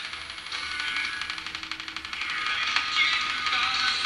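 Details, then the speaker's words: Circa 1946–47 Arvin 4-tube metal-cased midget tube radio after repair, receiving AM station WSM on about six feet of antenna wire instead of the original 25 feet; clear station audio and music over faint static and hiss: normal AM reception. "yep that's WSM so that's nice we can at least get one AM station that I care to listen to"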